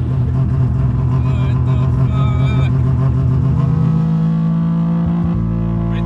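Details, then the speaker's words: Three-rotor rotary pulls hard and drones, then the note sags and the rumble drops away as if it flames out and dies, then won't restart; misfire and stall, owner hopes it's the old spark plugs refitted. "I was able to capture a brief moment if you can hear it almost sounds like it flames out or does something to where the car just starts climbing up and then just starts dying"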